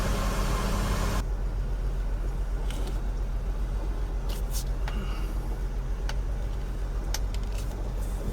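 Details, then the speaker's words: 2000 Lexus RX300 with codes P0300, P0302 and P0304 and a flashing check-engine light. A low, uneven, stumbling idle from a faulty ignition coil. Engine misfire and rough running. "today we have a misfire problem on a 2000 Lexus RX300 so the car um just came back yesterday and it's got a misfire and it's running rough"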